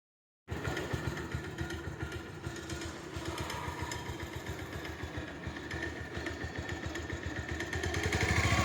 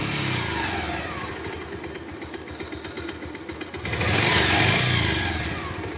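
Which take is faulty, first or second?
first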